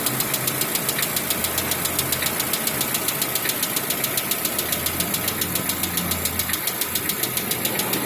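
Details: 2016 Lada Vesta 1.6 at cold idle: sharp, steady knocking about 3.5 times a second that disappears once warm; switching to Zic X9 5W40 oil reduced it, hydraulic lifter tapping now rarer, piston slap remains.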